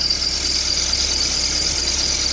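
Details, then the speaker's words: Car engine at idle, after the belt tensioner was replaced but not the belt: steady high-pitched squeal because oil on the serpentine belt's inner ribs makes it slip. "叽叽叫，那个就是皮带伤涩，因为皮带张力器换先的咯。啊，我皮带无换，内底铺里的部分有那个油，迄尾还个洗洗。"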